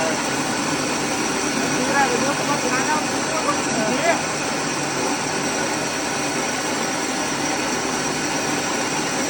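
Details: Rice mill (Sam Yot) test run after replacing the broken motor bearings and fitting a No. 3 shim flange: steady, even mechanical hum at constant speed with no grinding or knocking; the new motor bearings sound healthy.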